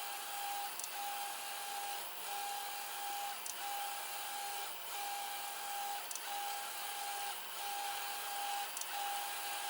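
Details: 3D printer with recently replaced linear bearings: quiet, even stepper hum on regular back-and-forth moves; the noise once blamed on the bearings was actually stepper motor vibration.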